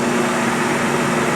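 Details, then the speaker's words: Harbor Freight 12x33 lathe converted to a 2.5 hp treadmill motor with variable speed and reverse, motor at 66.2 degrees, ironwood mounted, about 700 RPM; steady smooth low hum, no knocks, relatively quiet, quieter than before. "about about 700 RPM relatively quiet certainly quieter than it was before"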